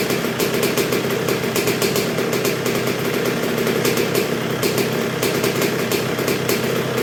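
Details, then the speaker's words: 1986 Honda CR125R two-stroke, not yet fully broken in after a new .060-over Wiseco piston top end: low, even idle with a steady crackling putter, no misses or surging; clean, healthy normal idle. "oh yeah she's coming along real good do you see how low that thing wanted to idle already and it's not even fully broken so this is a really good sign folks"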